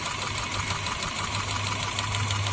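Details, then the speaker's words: Honda City petrol engine with added CNG kit, misfiring with poor acceleration and check engine light blinking, idles with an uneven, lumpy beat and hiss; pulling coils shows coil one leaking current and dead. "दो coil निकालने से अगर engine ऐसे ही है vibration नहीं हो रहा है इसका मतलब वो कॉइल खराब है।"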